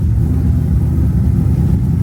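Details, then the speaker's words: Volvo 240 with a Mopar V8 swap after an attempted fix, warmed up and on the street: under partial throttle the deep rumble is lumpy as if down a couple of cylinders, and it cleans up at full throttle. The cause of the misfire is unknown. "all right so under partial throttle it's still absolute garbage like you can hear it not it's down a couple cylinders but if I get after it cleans up"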